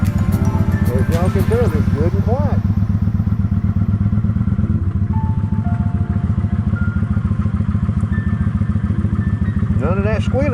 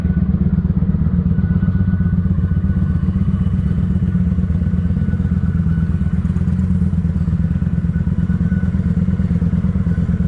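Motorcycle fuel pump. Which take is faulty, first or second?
second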